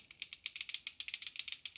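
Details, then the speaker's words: Small-block Chevy 4x4 engine with Morel hydraulic roller lifters, rockers set a quarter turn preload: fast light even ticking about a dozen clicks a second like a sewing machine; ordinary link-bar lifter noise, nothing wrong. "Link Bar noise which sounds like a sewing machine you know you just gotta live with it"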